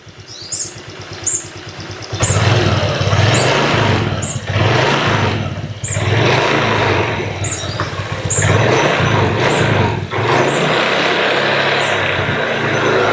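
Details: Honda Vario 125 gen 1 scooter just after fitting a CPO double iridium spark plug: after a quick start it settles into an even, steady idle with no misses. Healthy running.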